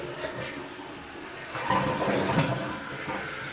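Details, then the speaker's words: Kohler toilet with Fluidmaster 400 fill valve, checked and cleaned seal: strong rushing flush settles into steady hiss of tank refilling, no sputter or lingering hiss; normal flush and refill, fill valve working normally. "so we'll flush her and while it's filling up that's it"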